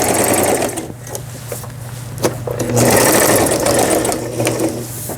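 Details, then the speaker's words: Mid-1990s Brother Star 10 computerized sewing machine, nearly 30 years old, test-stitching after repair; steady rapid needle chatter about two to three stitches a second through straight and reverse sewing, nothing catching. The reverse button works normally. "값이 비싼 기기라서 그런지 박음질 잘 돼서 나오네요. 후진 버튼 정상 작동되고,"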